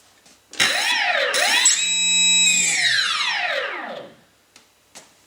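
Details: Durafly P-40N RC plane, Durafly 3536 900kv brushless outrunner on a 45A ESC with LiPo, bench run: clean whine rises with throttle, holds steady, winds smoothly down, no rattle or stutter; motor runs fine.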